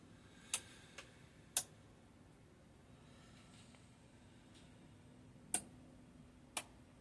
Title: that my oven on bake can someone tell what clicking sound is and what does it mean